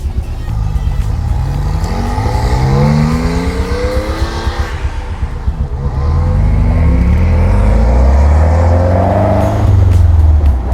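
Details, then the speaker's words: Caterham-style Seven after a massive backfire, idling in the garage: loud, lumpy, uneven exhaust beat with a stumble every few firings, running on three cylinders; one cylinder dead. "this is probably loud as hell but uh I think I'm missing on a cylinder Uh something's not quite right and this thing is running rough"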